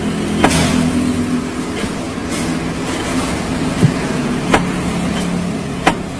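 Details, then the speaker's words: Sharp single knocks every second or so over road rumble while driving; front suspension knock from worn strut (shock absorber) mounts. "en este caso tiene problemas con los soportes de amortiguadores"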